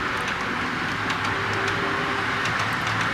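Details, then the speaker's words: Model railway TEA wagons in a long rake running into the fiddle yard on a gentle, relatively tight curve: soft rolling rumble with light regular clicks over rail joints and no squeal. They previously squeaked and now run quietly. "You can hear how they're now silent. They no longer squeak, and they certainly look impressive in a long rake."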